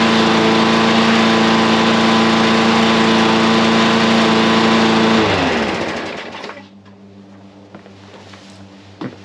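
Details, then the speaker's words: Briggs and Stratton small engine after a second carburetor cleaning: holds a steady, even, high-pitched run for five seconds, no longer running slow, then winds down smoothly at shutoff; healthy running. "Now it doesn't sound like it's running slow at all."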